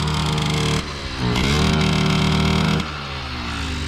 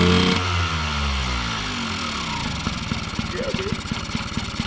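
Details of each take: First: 1979 Yamaha QT50 moped, sat 35 years, with a new battery and carburetor, ridden wide open: small two-stroke buzzes up, then dips and sags before dropping to a rough idle; owner suspects it is flooded or lean. Engine bogging under throttle. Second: 1979 Yamaha QT50 abandoned 35 years, first kick start after a new battery and carburetor; engine catches, revs briefly, then settles into an even popping idle of about three to four beats a second; normal idle.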